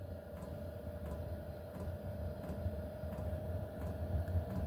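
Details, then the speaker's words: HCalory 8 kW diesel air heater starting up inside an RV; even fan drone with faint steady tone and a barely audible soft fuel pump tick about every two-thirds second; normal diesel heater startup. "You can't hear it tick, but it's very, very soft. It's compared to the other ones, and I didn't even want to do a review because they were so bad."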